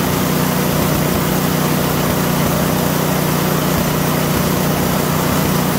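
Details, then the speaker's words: PowerSmart DB7651-24 snowblower small single-cylinder engine, would not start after ethanol fuel gummed the carburetor; after ultrasonic carb cleaning and new intake gasket: steady even thrum, no sputter or hunting, running properly. "so what we've done now is we've cleaned the carburetor replaced the intake gasket and that solved that problem so this thing's all ready to go"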